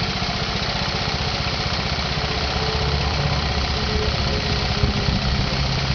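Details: Honda Z50 engine, started first kick: small single ticking over at a steady quick patter, about four beats a second, no knocking or rattling; healthy, no leaks.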